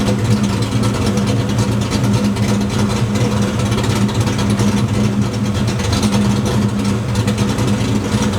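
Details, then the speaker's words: Fox-body Ford V8 with a stepper idle valve conversion and the idle timing correction set to zero: lumpy, choppy idle that dips into the 600s rpm and recovers; idle speed hunting off target. "See it? It takes a minute, but the idle speed is not quite as clean as we'd like it to be. It doesn't stay as close to target."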